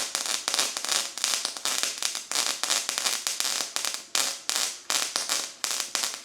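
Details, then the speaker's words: Brand-new Harbor Freight Titanium Unlimited 140 multiprocess welder on its first use: harsh, uneven crackling bursts about three a second with sharp pops instead of a bacon-like sizzle. Excessive spatter; cause not yet determined. "Well, that is very very spattery. And I do not think it is supposed to be that spattery. The dude at the metal store told me it's supposed to sound like bacon cooking. It sounds like bacon dying."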